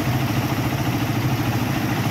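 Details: Raider 150 single-cylinder motorcycle idling after a mechanic set the valve clearance with a feeler gauge: smooth, steady putter with no loose ticking; valvetrain properly adjusted, normal idle.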